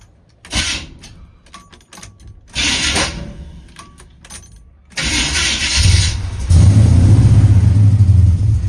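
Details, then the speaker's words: 1975 Chevy C10 454 big-block V8, carbureted, long-tube headers, 3-inch straight-pipe exhaust, first start: catches after a few cranks, then shakes along unevenly, stumbling and loping at idle; rough running, cause not yet found. "Something ain't right. Holy fuck. Needs some work."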